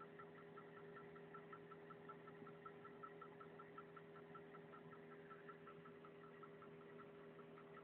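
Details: VAZ 2103 engine at a quiet, steady idle with a light regular tapping about two per second; engine knock, cause not identified, owner unsure whether it is normal.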